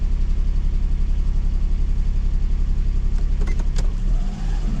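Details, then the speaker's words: Duet car, check engine light on, codes unread, after throttle work: started with very high revs then in neutral low engine note pulses unevenly once or twice a second; still running rough, cause not found. "нейтралку и видите вон всё тоже самое ну то есть машине плохо по-прежнему"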